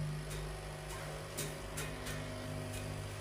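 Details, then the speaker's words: Green/red board amplifier switched on with the transformer's zero-potential wire not attached to the earth rod: a steady low mains hum drones under the music, caused by poor grounding; grounding that wire makes the hum drop. "so when I switch on my power supply can hear very well the hming"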